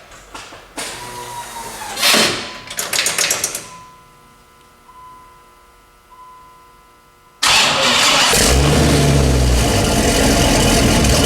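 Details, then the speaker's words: Dodge Ram SRT-10 with a new turbo kit and 3.5-inch downpipe: it cranks, catches and settles into a loud, raspy idle with a sharp chuffing edge. The downpipe flange leaks from an old gasket, and the V-band collector may also leak. Exhaust leak. "there's a couple of exhaust leaks I gotta deal with there was uh right here I kind of knew about the flange was leaking because that old exhaust gasket"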